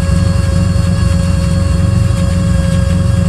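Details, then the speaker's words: 1986 Lesharo RV V6 conversion, warm idle after sitting, with a noisy fuel pump: deep, steady thrum that stumbles now and then. Smoother than cold but still seems to be missing; cause not confirmed. "so now that it's been warmed up it's running a little smoother but not perfect"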